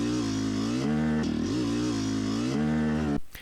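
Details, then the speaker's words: Yamaha YZ250X two-stroke with Panthera electric start, riding: revs cleanly, then the note turns abruptly flat and rough coming down into the midrange; power valve slipping off its held-up state, later fixed. "sounding really good trying to come down to the mid-range and then an abrupt grossness and then that abrupt change is really the signature that's the power valve slipping off of its uh held up state if you will"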